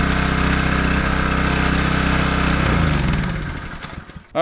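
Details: Small-engine pressure washer after replacing the failed check valve in the soap injection system, with no more water coming from the soap port: a steady, even drone for about three seconds, then it winds down and stops. Normal running.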